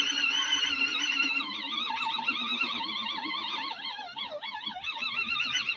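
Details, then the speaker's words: TEMU portable washing machine spinning a load of pajamas, two t-shirts and a heavy face cloth: high whine wobbling and sagging in pitch on a 10-minute cycle; spin motor struggling, possibly from the heavy load. "sounds like it's struggling but that's supposed to go for 10 minutes"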